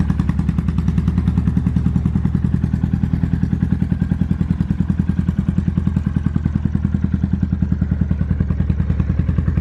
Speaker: this is my 2005 Kawasaki Vulcan 800 and someone's actually coming to buy it today so before we sell it I wanted to bring it out here and give it a quick startup and let you guys hear it